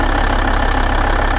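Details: 1996 Volvo 850 2.5 TDI diesel (D5252T, Bosch VE EDC) rough lumpy idle with rattly clatter, feels rich; owner tweaking AFM/MAF adjustment screw, suspects worn/clogged injectors, cause unconfirmed.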